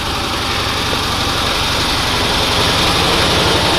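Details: Cushman pickup small engine after fitting a new set of points, outdoors around 43°F, puttering at a fairly even beat of about four per second; clean normal idle, though it still has a lean spot on acceleration.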